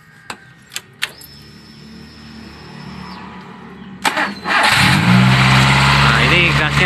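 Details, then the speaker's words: Fuel-injected car with high idle: a few short starter chirps, then the engine settles at a loud, fast idle instead of dropping; faulty PCV valve and hose holding idle up, not ISC or throttle body, valve replaced. "tinggi ya jadi apabila gas tinggi ini kalian periksa selang PCB nya dulu"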